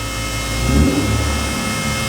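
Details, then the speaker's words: Nissan 350Z twin turbo held against the handbrake in second gear, rev limit set at 5,000 rpm: deep roar swells with a rising turbo whistle and a blow-off sound; now making boost properly. "but yeah we're making boost now we are making boost"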